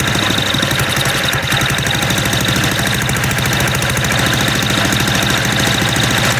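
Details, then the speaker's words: MTD walk-behind lawn blower with Briggs engine after about three years of storage, running without starting fluid: loud, harsh, ragged uneven hammering that never settles; dislikes throttling with choke off, rough running cause unknown. "Even though this this thing sounds like it's about to detonate itself."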